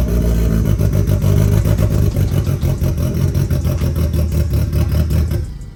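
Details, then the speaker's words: Turbo Miata at its first start after the turbo build: deep, loud idle with an uneven, stumbling lope and irregular pulses that never settle, not smooth, as if it had a big cam; rough running, likely misfire, owner thinks it just needs a tune. "Oh god, it sounds beefy. Okay, so I think it just needs a tune."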